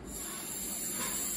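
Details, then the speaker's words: EVAP purge control valve, tested for P0444/P0445 after reading 32 ohms, bench-energized with air blown through its port: blocked when off, soft steady airy hiss with one brief puff when energized; the valve passes air, working properly. "as you see air is not going through but as soon as I turn it on air can go through it means the solonoid valve is working properly"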